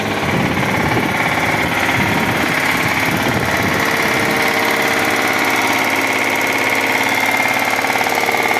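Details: Mazda Xedos, 220 hp with automatic: engine runs with a loud, uneven knock about three or four times a second over a busy rattle; heavy internal engine knock, cause unknown.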